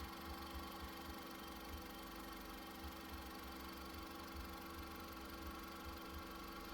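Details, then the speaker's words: 2001 Honda Civic EX four-cylinder, 18 years old, on 5W-20 oil with Lucas oil stabilizer, valves adjusted at timing belt job; soft even idle, steady low pulse, no ticking or knocking, normal idle. "It runs like a champ. Nice and"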